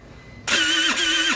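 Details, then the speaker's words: TaoTao 50cc scooter bought not running, electric start tried with the headlights on and brake held: harsh gritty grinding over a strained starter hum for about a second. The engine binds, and a faulty kickstarter mechanism is suspected but not confirmed. "sounds like the motor is binding up and I bet it has to do with the fact that this Kickstarter is now functional it's not a normal starting sound"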